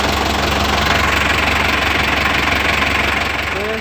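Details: Dyna Rino with the B12 diesel, first start after a full engine overhaul and reassembly: an even, steady idle with a smooth regular beat and no knocks or misses, sounding healthy.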